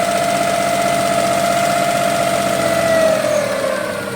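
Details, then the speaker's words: Suzuki F6A carbureted multicab engine after hard-starting and misfire repair (carburetor refitted, distributor cap cleaned, three spark plugs replaced): starts on one click and settles into a steady, even idle with no stumbles; hard starting fixed. "Napansin niyo naman mga boss no one click and matining na siya so ang ibig sabihin nito ay nagamot na natin yung hard starting niya dahil one click matining na siya"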